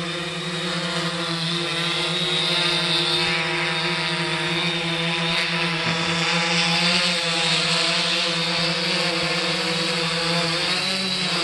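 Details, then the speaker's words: 3DR Solo drone hovering after upgrading from the OEM motors to Emax MT2216 810 KV motors, which have lower amp draw: a smooth, even propeller buzz with steady tones and no roughness or rattles, much quieter and smoother; normal hover. "so it must be a glitch in the software definitely much quieter much more smoother"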